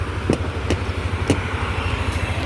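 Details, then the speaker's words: Lexi scooter after repair of a no-start complaint: single-cylinder idles quietly and evenly, with quick throttle blips that pick up cleanly and settle back; healthy. "ครับแทบไม่ได้ยินเสียงเครื่องเลยอ่ะฟังอ่ะได้ยินแล้วนะครับอ่าเครื่องเงียบๆประมาณนี้เลยถ้าอยู่ไกลๆไม่ได้ยินเลย"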